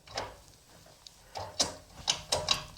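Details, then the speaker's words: 1978 Corvette with L-82 engine and Tremec TKX transmission, engine off, after clutch bleeding, shifter mocked up: seven crisp notchy clicks through neutral, first to fifth and reverse; clean, positive detents with no grinding or squeak; normal shifter action. "that's neutral first second third uh third fourth fifth reverse sounds like you're shifting a rifle bolt it's pretty cool cool yeah"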